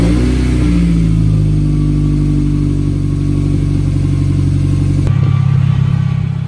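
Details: Mazda Miata, about 30 years old with the known lifter tick, just restarted after the lifter-tick fix: steady, even idle with a low smooth drone and no obvious tick; any remaining tick may need a drive to recirculate oil; normal idle.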